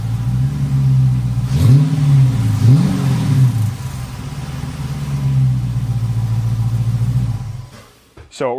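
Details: Dodge Charger Pursuit, retired Michigan State Police car, V8 cold start: deep, even rumble at idle with quick blips that rise and settle cleanly; normal.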